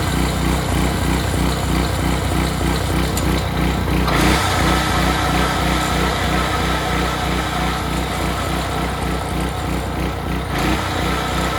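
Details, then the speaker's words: Early-to-mid-2000s Craftsman brush mower after 3 years sitting, only the carburetor cleaned, oil not yet changed: steady, even drone with a quick regular putter, no misses or knocks; runs healthy. "well that's perfect runs great what more can he ask for"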